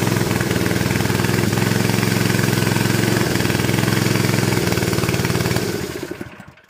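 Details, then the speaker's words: Honda GX160 air compressor engine on propane, after a new coil, smells rich and chugs lumpily with stumbling beats, then sags and dies when the mixture is adjusted; owner suspects the engine is worn out, with weak valve springs. "you start playing with a mixture this thing just dies in a hurry you shouldn't do that"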